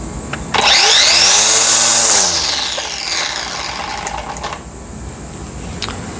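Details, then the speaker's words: Black+Decker 20V string trimmer after fixing grinding bearing noise and shaft wobble by replacing the gear and spindle (N498091): spins up to a smooth, clean high whine and winds down evenly, no grinding or wobble; normal running. "No more grindy bearings, no more wobble. Easy fix."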